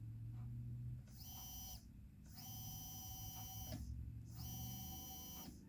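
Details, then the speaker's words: Hobbywing Fusion SE brushless RC motor, microphone beside it: short runs of clean, steady high whine starting and stopping evenly, no grinding or rattle; runs smoothly and quietly compared with a worn brushed setup. "now just listen to the quietness you don't hear nothing I hear nothing hmm all you hear is that paper"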